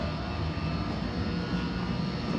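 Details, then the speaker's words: Indoor heat pump air handler in a new build, top floor, running on auxiliary/emergency heat with the outdoor unit off because it's too warm outside: steady airy roar over a low uneven drone. Source unknown; abnormal air handler noise. "but it's the sound it's the sound that concerns me"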